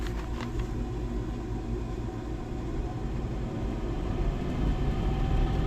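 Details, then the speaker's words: Blower motor starting on a 1990s 90-plus Rheem gas furnace, about 30 years old, on a wood platform; deep rumble with uneven low throb and rattle heard in ductwork. Brackets previously tightened for loose screws, now more play: blower vibration. "oh yeah definitely a a rattle it's not terrible but I bet they're hearing that's what they're saying is they're hearing it up in the duck work it's definitely got some vibration"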